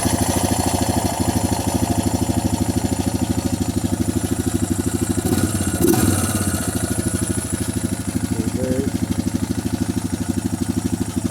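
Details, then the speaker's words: 2007 Honda Rancher 420 after a valve adjustment, cold start with the air filter still off: a slight rattle right at first crank that should quiet as oil reaches the top, then an even, steady single-cylinder idle with no ticking. "sting my rattle just a little bit right when it first cranked but wants to all gets to the top in it should quiet down pretty quick"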